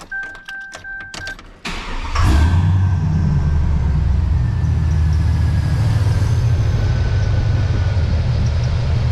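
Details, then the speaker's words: GMC Sierra (NBS) pickup before tune-up, old belts: engine cranks and catches, then a thin steady squeal over the idle rumble; owner not 100% sure it is the belt, tensioner also possible; squeal at start-up and idle. "I'm gonna start it up and let you guys listen to this squeak. I'm not 100% sure that it's the belt."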